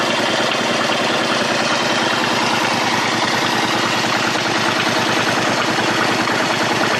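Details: Honda Shadow 125 motorcycle engine at idle: steady running with a fast, rough ticking patter and raspy top end; abnormal engine noise, cause unclear.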